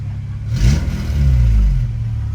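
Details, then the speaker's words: Petrol engine in FA5 build, first start after swap, check engine light on; blipped from idle with raspy, puffing edge on the rev from an exhaust leak. "Oh, okay, you can hear the exhaust leak."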